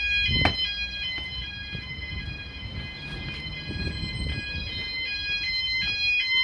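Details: E.M.S. FirePoint System 5004 house fire alarm, Sound Alarms pressed on panel, all sounders running: loud steady high tones repeating in regular pattern over a quiet room, clearly heard throughout house; normal sounder tone.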